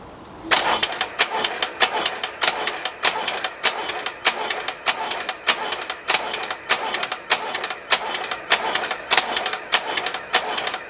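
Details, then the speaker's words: Harley Ironhead engine in a cafe racer project, cranking after a hydraulic clutch repair, retried with choke off; even starter chatter at about a hundred strokes a minute with no firing. Fuel present, and the owner suspects spark plugs. Cranks but will not start. "that's not gonna happen is it so I think maybe maybe the issue could be wrong not to check this spark plugs make sure they're sparking"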